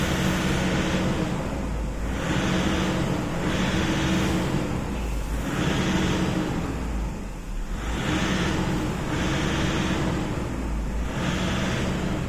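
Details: Toyota Innova diesel with occasional sudden stalling, during a fuel system leak test: idle surges up and sags back every couple of seconds, never settling; hunting idle from a fuel system fault.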